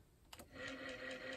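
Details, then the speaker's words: Ford Model A generator bench-tested running as a motor: a click, then a smooth, even hum builds and holds steady with no knocking or grinding; speed changes as the third brush is moved. "oh nice and quiet and I can move this third brush up and down seems to go slower the further you move it in the direction that it's spinning"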